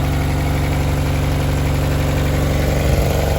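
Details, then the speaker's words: 1994 Accord just after replacing all distributor seals, at first start. It idles down instantly into a steady, even, smooth idle with no misses, knocks or hunting. "Sounds like it idled down instantly. Yeah, baby."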